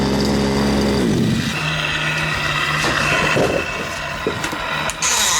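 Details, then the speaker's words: Fifth-scale RC Baja two-stroke engine, of unknown age, after a repair that didn't need a full rebuild: it revs up and drops back to an even, steady tick-over with no stumbling and runs very smoothly. "So it runs very smooth. You can hear the thing ticking over, tick, tick, tick, tick, tick. You rev it up, whap, tick, tick, tick, tick."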